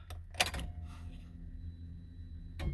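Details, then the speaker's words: 2000 Honda Civic, new main relay (which feeds the fuel pump) installed to fix an intermittent crank/no-start, tested before the panels go back on: a few sharp quiet clicks over a low hum, then one more click. The relay is switching normally. "Alright, before putting any of the panels back in, make sure that you test the relay to make sure that's working. So you're going to hear a click from the relay."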